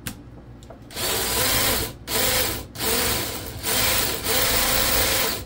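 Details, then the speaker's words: Drill-powered chainsaw attachment run on high: repeated one-second bursts of harsh rattling grind at each trigger pull; loud chain noise, owner thinks it needs lubrication. "yeah that thing definitely needs some oil"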